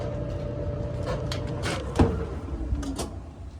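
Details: Whirlpool WED5100HW0 dryer: low drone with irregular scraping rasps, starting quiet; suspected rubbing blower, fixed by replacing the blower.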